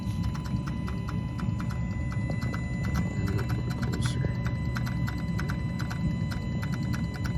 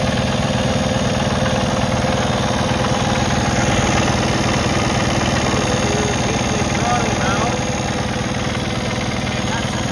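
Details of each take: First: 2020 Kenworth T880 Cummins X15, derate and fault codes, bad engine harness: quick, even clicks over steady diesel idle from VG turbo actuator; gear inside suspected seized, actuator now communicating; replacement planned. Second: 2020 Kenworth T880 Cummins X15 after an overlay octopus harness restored 5 V supply to sensors and codes were cleared: steady, even diesel clatter at idle with no stumble or hunting; idling smoothly.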